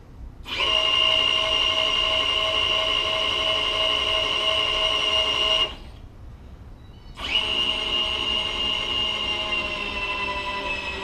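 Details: Webb 3VH milling machine power knee feed: steady high-pitched motor whine with gear tones, stopping briefly then restarting smoothly. Knee feed motor runs evenly and healthy.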